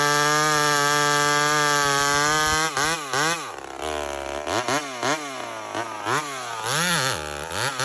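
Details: Homelite chainsaw, 28 full-house stock chain, full throttle in a cut: crisp high two-stroke scream, pitch dipping and recovering rhythmically as the chain bites; normal clean running under load.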